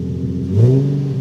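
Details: 2008 Nissan 350Z after an O2 sensor install: the engine catches and revs smoothly and steadily with no misfire; codes did not return. Normal start and rev.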